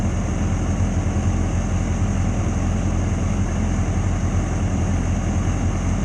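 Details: 2006+ Yamaha R6 after fixing a common dying-at-idle issue (it died at stops below about 160–170°F, worse in cold weather): deep, steady, fast-firing idle holding an even note without stumbling or hunting; normal idle.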